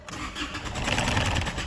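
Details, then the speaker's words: Isuzu D-Max with fault codes for EGR closed-position performance and camshaft position: the starter churns steadily but the engine never fires, and the scan tool shows no engine speed; crank no start, cause unconfirmed. "Car, no start. No engine speed. Even though we're trying to turn the key and you see the tachometer is at the rising there a slight little bit."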